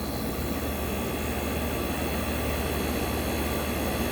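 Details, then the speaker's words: 1965 Fedders Weatherwheel air conditioner on high cool, Tecumseh AJM 1594 IRA compressor with a 4-row condenser. A steady, even hum with low compressor drone and fan rush, no knocks or rattles: the unit is running smoothly and normally. "Wow. Look at that, guys. That sounds fantastic."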